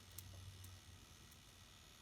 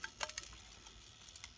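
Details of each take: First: Dualit 3-slice toaster, model 3SLUK, found in a skip, running with safety guards removed, three-slice setting and timer at about 1.5 minutes. Faint, sparse dry ticks from the timer while the elements heat with some crackling; normal. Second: Dualit 3-slice toaster model 3SLUK, guards removed, set to three slices and 1.5 minutes: faint irregular crackles and ticks as elements warm, old moldy toast crumbs burning off the heating elements.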